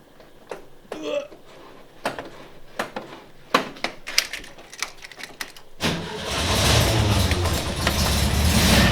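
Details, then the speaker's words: VW Kombi during restoration after dash installation and rewiring: clicks and fumbling, then engine catches cleanly and settles into steady even idle with no misses; generator light goes out indicating charging; normal start and idle. "whoa and i think my generator light went out so that means we shall be charging"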